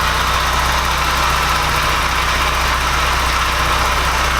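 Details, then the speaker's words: Porsche 944 after engine swap, idle after fixing a gasket that made it run like on three cylinders: smooth, even idle with steady hum, no stumble or missing beat; all cylinders firing, normal idle. "that sounds a lot better since we fix the gasket doesn't sound like it's running on three cylinders anymore"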